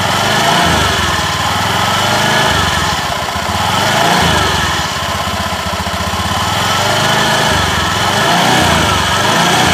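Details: Honda Beat eSP scooter CVT after replacing worn clutch shoes, clutch plate position checked: steady engine buzz with only mild swells and no rattle or scraping from the clutch; normal clutch operation.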